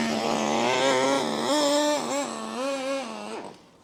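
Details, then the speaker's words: HPI MT2 nitro 4WD RC truck, about 20 years old and long unused, primed before starting: a high buzzy two-stroke note wanders and surges for about three seconds, then dies. Hard starting; owner suspects it is clogged and needs work. "It's starting okay. A bit clogged. Needs a bit of work. Right, it was a bit of a ball ache to get going."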